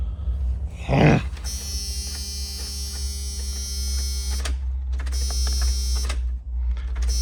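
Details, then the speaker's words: Box truck that sat 5 years, with a new starter, cranked via a dash button: a steady buzzing starter drone with even compression beats and no catch, despite a brand-new fuel pump being fitted. Crank, no start. "All right, as you see, we're cranking and we're not starting. We got a brand new fuel pump in that black box right there."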